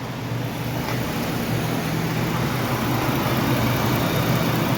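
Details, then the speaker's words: 2004 Jeep Liberty 3.7 V6 petrol, after replacing a bad spark plug found via secondary ignition waveform (earlier misfire despite new injectors, coils and plugs): steady, even low idle hum with no stumbles; now much smoother. "oh that's a lot smoother already I like it"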